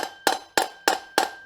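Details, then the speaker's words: Harley-Davidson wheel bearing replacement, greased bearing tapped into the hub: five crisp metallic taps about three a second, ringing bright and solid as the bearing bottoms out, fully seated. "that bearing is seated there we go one bearing done"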